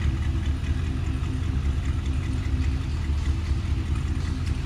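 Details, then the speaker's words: 1955 Chrysler New Yorker Town & Country Wagon V8 just after true cold start: fast, even electric-choke idle with deep steady rumble, no misses or knocks; oil pressure coming up, engine running fine. "Oil pressure's coming up. Fuel gauge is working. Doesn't want to take any fuel yet. I'm going to let that electric choke kind of work with us a little bit."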